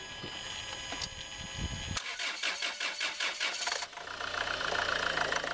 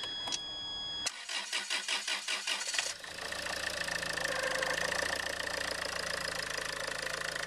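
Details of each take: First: Land Rover Freelander 2 2.2 diesel at shutdown: a pulsing high-pitched squeal chirps from the throttle valve/body in the intake, then fades; replacement throttle body part is PN LR012598. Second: Land Rover Freelander 2 2.2 diesel after replacing the throttle body (PN LR012598), which had been squealing: quick crank catches straight away and settles into a steady, even diesel idle with no squeal; normal start and idle.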